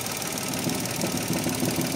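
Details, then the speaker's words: Mitsubishi Mirage hatchback, about 95,000 on the odometer, idling after a quick fix: a light fast plastic chatter over the steady idle, quieter than before, from a loose engine bay housing; the engine support may also need replacing because of heavy shaking. "Ayan bumabalik pero hindi ganon kalakas."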